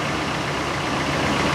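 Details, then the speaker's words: 2000 Chevy crew cab dually just started after about five years sitting: rough loud idle with busy valve train clatter and slight misfire; lifters expected to pump up. "it's got a slight little misfire to it definitely got some some valve train rattle up hop"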